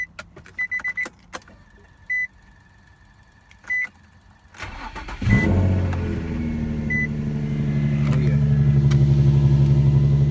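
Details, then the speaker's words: 2004 Infiniti G35 coupe, VQ V6 with custom single exhaust, cold start: chimes, starter catches, settles into deep, steady, even idle with throaty exhaust; no dash lights, healthy. "Got some sound to it, that VQ. Also, no lights on the dash."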